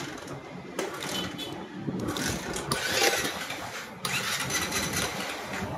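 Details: NS160 FI motorcycle that would not start (no spark; ignition coil replaced without effect, pulser/stator suspected): cranks a couple of times, catches and settles into a quick, busy single-cylinder idle; bike now starts and runs.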